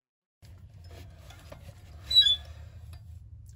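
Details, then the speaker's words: Pickup truck wheel turned by hand: quiet turning, then one short sharp squeak at a single point per revolution where the brake disc shows a bright rubbed spot; disc rubbing the bracket from a bent hub. "podemos girar la rueda en su totalidad y no se escuche rechinar solamente rechina hasta llegar a ese punto"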